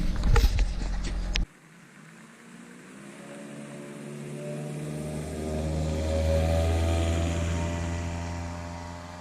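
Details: 2000 Honda Civic with eBay header, test pipe instead of cat, OE piping, resonator and OE-style muffler, before the added resonator: revs climb from idle with a rising droning exhaust note turning raspy at higher revs, above 2,800 rpm since the cat was removed.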